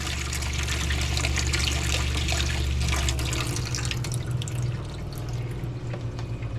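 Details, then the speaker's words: New RV Guard pressure-regulated water pump in a vintage camper, replacing a Sureflo with a broken regulator, after plumbing repairs: steady low hum under running water, no surging or rattling; good pressure, normal running. "That's some good water pressure. And you hear the pump going."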